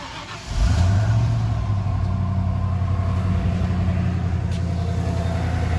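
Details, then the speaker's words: 1995 Ford F150 after swapping the factory power steering pump for a Saginaw pump from a Ford E-series van, in park: engine fires and settles into a steady idle with no pump whine; normal, quiet power steering pump. "I don't know about you, but you don't hear a whine from it. All right, let's close it up. It's nice and quiet."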